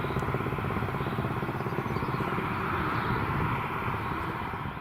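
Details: BMW M135i B58 turbo six driven hard at the Nurburgring: high-revving exhaust note broken by a ragged, uneven stutter near the end; misfire under load, cause unconfirmed.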